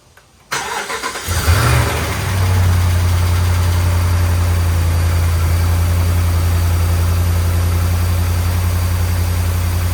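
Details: 2010 Ram 1500 5.7 Hemi V8 with suspected bad grounds and leaking gaskets, start after fuel priming: brief crank, clean catch into a smooth steady idle with no tapping or misses; sounds good.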